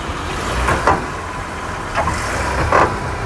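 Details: 2005 Honda Accord, front wheel area: at idle, two or three dull clunks as the car is shifted into reverse while the front tires visibly shift on both sides; a worn lower control arm bushing.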